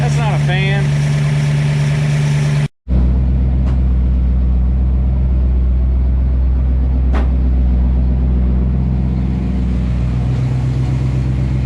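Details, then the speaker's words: Idle of a 1967 Ford Fastback 289 V8 with a new cam, freshly revived, before timing and carburetor adjustment. Steady, even, deep smooth beat with faint lifter tick underneath. Healthy idle. "so this car can sit and idle it's definitely sounding nice you'll kind of hear the lifters a little bit"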